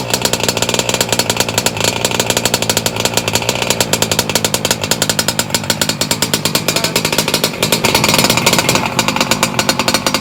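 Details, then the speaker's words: Kayla's motor on first start, idle brought up, set fat; a high buzzing two-stroke with a steady, slightly burbly note and a small rise near the end. "We're gonna bring the idle up. It's nice and fat. That's how we like it."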